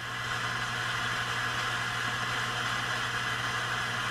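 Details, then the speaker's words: Heathkit T-3 signal tracer on the low-gain side with the high-gain stage grid grounded. Steady hiss with slight crackle over a low mains hum, pitch changing a little; the tracer is making its own noise, possibly from a noisy component. "And I can also hear a little bit of crackling and hissing in there, so it sounds like there might be a noisy component in here."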